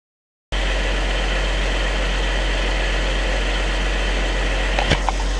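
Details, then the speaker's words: 2014 Jeep Wrangler JK, 3.6L Pentastar V6, idling after oil pump replacement, no leaks: smooth even low drone, no knocks or ticks, runs as always; oil pressure still reads pegged at 99 psi cold and warm, owner suspects the oil pressure sending unit. "no leaks or anything underneath it's running okay runs like it always has"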